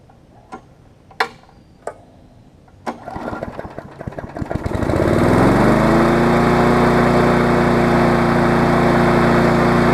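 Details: Push mower after service: a few pull-cord tugs, then it catches and settles into a fast, even, steady buzz with no misses; normal running.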